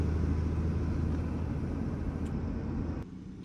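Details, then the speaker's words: Truck setting off toward Bodrum with a broken exhaust temporarily tied up, repair pending: deep, loud diesel drone with raspy, uneven rumble while driving; exhaust leak. "Şimdi ikinci noktamız olan Bodrum'a doğru yavaş yavaş yola çıkıyoruz egzoz Tabii biraz ses yapıyor müziği açtığımız zaman da sesi"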